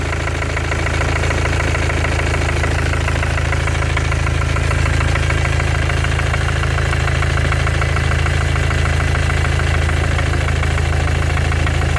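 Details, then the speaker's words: 2014 Mercedes diesel OM651 biturbo, 300k mileage, idling with a light regular hammer-like tap about four a second, heard cold and hot, under the hood near the top of the engine by the turbo; cause unknown. "Где-то вот она вот тут вот рядом как будто молоточком кто-то чуюхает."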